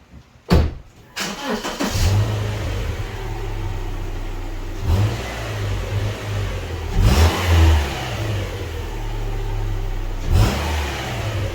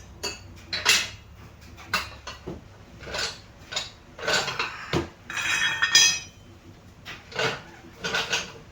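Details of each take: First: Subaru petrol engine starting and idling with a few short revs after exhaust heat shield rattle fixed with a band/hose clamp; exhaust now clean with no rattle. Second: Subaru exhaust heat shield struck by hand with engine off, car raised: irregular bursts of bright tinny clinking and rattling from a loose heat shield, fixed with a band/hose clamp.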